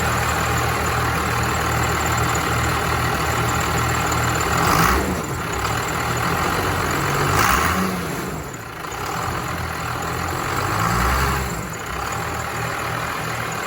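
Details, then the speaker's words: 1979 Ford F250 with compound twin turbo Cummins 6BT swap, four-speed transmission; steady diesel idle with brief throttle blips rising and settling cleanly, no misses or knocks, very peppy and healthy. "Judd you just gotta love that sound this is uh this one is is extremely peppy"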